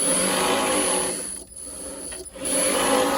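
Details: Renault Zoe ZE40 5AQ salvage repair, rebuilt motor stack refitted, spun unloaded without driveshafts: thin, steady high whine over rushing hum, clearly too noisy; gear whine suspected.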